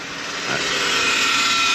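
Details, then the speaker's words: Chrysler Pacifica with a 62TE automatic at about 90,000 miles, fluid black and never changed: a steady high whine over the engine after start-up. Power steering versus transmission is the question; a transmission pump whine is suspected. "A lot of people have a hard time distinguishing that power steering or transmission."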